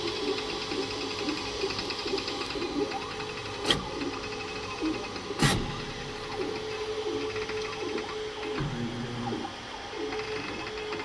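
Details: Creality K2 Plus 3D printer, about a week of use, firmware updated 2025-05-01, printing unusually slowly (owner unsure if print setting is why): short repeating warbling stepper tones with two sharp clicks; owner thinks it sounds different than before, cause unknown.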